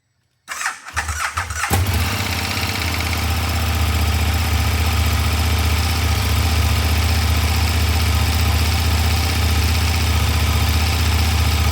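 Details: KTM 1390 Super Duke on the stock exhaust, cold start after sitting for quite a while: a starter whirr, a quick catch, then a steady, even idle rumble held smoothly for ten seconds, a healthy cold start.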